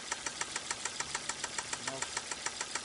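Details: 2005 Volvo S60, 2.4 naturally aspirated petrol, idling with a sharp, regular knock of about 3.5 per second from the connecting rod bearings. After an additive treatment and an hour at raised rpm, the knock reportedly went away and the smoking stopped.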